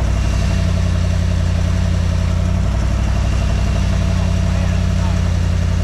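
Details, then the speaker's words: 1974 Dodge W100 Power Wagon 4x4 V8, first start after sitting parked since 1983: deep, even idle with no knocking or major ticks, pretty smooth; exhaust very leaky where pinched off. Normal healthy idle. "the engine sounds super healthy no knocking really no major ticks or anything pretty smooth as far as Idle goes"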